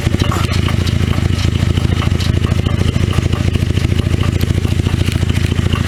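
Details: 2009 Cadillac CTS 3.6L LY7 RWD with 6L50E automatic at steady idle: loose, irregular knocking underneath at a few per second, too inconsistent for a rod knock, loudest through the transmission inspection cover; flexplate failure, perimeter separated from plate.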